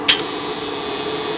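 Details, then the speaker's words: Stark IMT 200 Profi MIG/TIG/MMA welding inverter under repair, tested after the relay fault: a crisp click then an even gas hiss for over a second before shutoff; gas solenoid valve operating normally. "працює слухайте клапан щолкає газовий"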